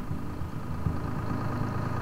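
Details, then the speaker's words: 1968 International Fleetstar 2000 dump truck, 6-71 Detroit two-stroke diesel, started on ether after sitting 15 years. It settles into a steady, even low rumble with no knocks or misses. Normal idle. "For sitting all these years, I can't believe how good this thing is running. Gotta love those old Detroit diesels."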